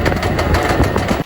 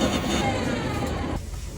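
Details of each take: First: Electric tricycle with rear wheel jacked up, motor recently replaced: harsh rattling grind from the rear axle while running, more frequent at higher speed; motor alone runs quiet unloaded. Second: Electric tricycle rear drive, test run after replacing the differential whose gears were badly broken, with new gear oil added: the drive whine rises smoothly and evenly as it spins up, with no grinding or clunking from the rear axle.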